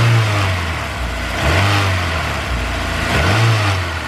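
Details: Honda S2000 revving with serpentine belt removed: steady buzzy rattle, almost like a lifter, swelling with revs; loose alternator and brackets with a missing bracket bolt, noise set off knock sensor pulling timing and power; fixed with new bolt.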